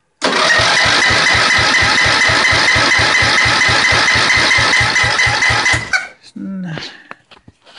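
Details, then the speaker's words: Riding mower cranking after its carburetor was removed and cleaned twice, with starting fluid sprayed into the intake: strong, even cranking about two strokes a second, good compression, but it never fires. Spark present; owner suspects some coil wires chewed by squirrels. "Okay, and let's start it and then see. It has good crank, good compression."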